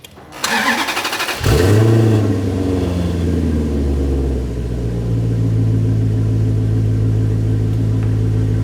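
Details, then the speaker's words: Maserati Quattroporte V8 after repair: quick crank, clean catch and a short blip, then an even, smooth idle with no stumble or misfire, very different from before. Cam timing changes under driving are still untested. "then I think we've done it that is sounding beautiful and no misfire and you can really listen to that now very very very different to before"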